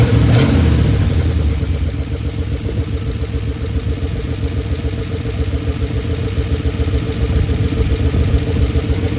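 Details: Oldsmobile Super 88 V8 at low idle, warm, after timing adjustments: loud uneven idle, loose loping beat about 3.5 pulses per second; rough idle, smoother before timing work. Hard to restart warm; exhaust damaged and missing bolts, owner unsure if that causes noise.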